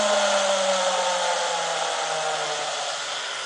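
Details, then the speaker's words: First stage of a multi-stage Tesla turbine kit, run alone with the second stage disconnected and fed by a standard air compressor: loud rush of air with a thin whine that sags slightly in pitch as it settles. Normal spin-up. "Okay, now that you've seen the parts, I will power up the first turbine on its own. I'll disconnect this one just to let you have a listen to a single turbine. I'm just using a standard compressor."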